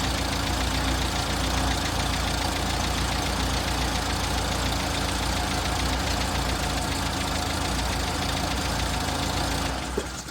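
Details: Six-wheeled Toyota truck with carburetor, odd idle persisting after new fuel filter installed correctly, new spark plugs and new fuel line: uneven, lumpy idle with loose ticking pulse over the rumble; rough idle, cause not found.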